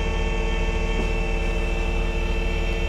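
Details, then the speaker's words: Skid steer running a Vacuworx CM3 vacuum lifting attachment: hydraulics on, pump fires up with a steady even hum over the engine while lowering and building vacuum; no surging, grinding or knocks, normal. "So here we go. Start up, turn on my hydraulics. You hear the pump fire up."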